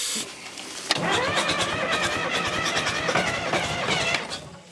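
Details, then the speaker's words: Diesel sawmill wheel loader sat 20 years: starter spins it in a steady rhythmic churn for several seconds, never fires; they think it's not getting fuel; cranks, no start. "All right. I don't think we're getting any fuel. Man, it sounds like it wants to, don't it?"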